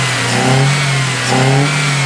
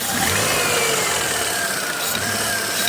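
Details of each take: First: 2014 Ford Fiesta 1.0 Zetec Rocam, 88,284 km, after pistons replaced for piston slap and head work, oil light no longer on, warm with fan running: two clean throttle blips, revs rising and falling smoothly, no knock or rattle; normal revving. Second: 2014 Ford Fiesta 1.0 Zetec Rocam, 88,284 on the odometer, after head gasket and cylinder head job, oil light flickering with a dead oil pump giving no pressure: sharp regular knocking about four per second while revving, sounds like crankshaft knock but is not.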